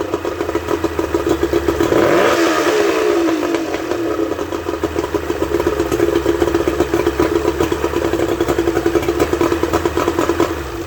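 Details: Suzuki 30 HP two-stroke outboard after freeing stuck piston rings and powerhead reassembly: crisp steady buzz with one quick throttle blip, firing evenly without clatter or misfire; normal running.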